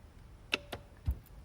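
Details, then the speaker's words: 2004 Mercedes-Benz S600 W220 V12, replacement eBay central locking (PSE) vacuum pump plugged in and key lock/unlock pressed: only a few sharp clicks, no buzz building vacuum; replacement pump judged faulty. "I hear it clicking can we try the lock and unlock button on the key no buzzing great I'm here to really click it inside but it should be making a buzzing noise"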